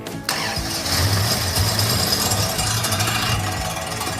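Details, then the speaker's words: '71 Plymouth Satellite, 383 big-block, just started: harsh scraping grind over lumpy V8 idle; fan bolts through the water pump flange suspected sticking out the back and hitting the pump. "oh man so what steud thinks is happening is the bolts that go through the fan all the way into that flange on the water pump are sticking out the backside and hitting the wat"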